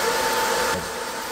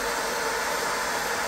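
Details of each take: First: 20 W diode laser engraver module, top cooling fan, phone a pencil-length away, after fitting three laser-cut 3 mm spacers: steady, smooth fan hum with the harsh high-pitched whine gone; fan runs quietly and evenly. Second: Top-mounted cooling fan on a 20 W diode laser module, phone at pencil distance, intake covered and restricted. A steady airy whoosh with a faint thin whistle as the fan strains to suck air. Fan airflow restriction noise.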